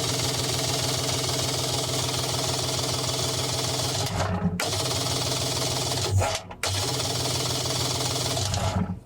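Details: 1996 Kawasaki ZXI 1100 jet ski, fully charged battery, plugs on spark tester: fast even cranking that never fires; lost spark after water got in engine compartment, intermittent then dead; cranks but does not start.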